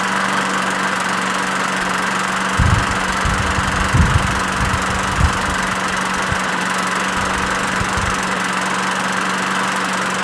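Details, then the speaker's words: Craftsman push mower with Briggs 6.75 Quantum auto-choke engine after winter storage: single-cylinder drone with irregular thumps and surges, rich as if on choke; suspected vacuum leak at the primer hole, fixed by a carb swap; rough running. "honestly that sounds just like that one doesn't sound very good what gives this one runs much better"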